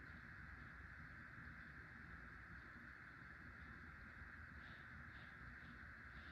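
A very quiet, even hum with a soft steady whir and no grinding or rattle; the fan is running smoothly.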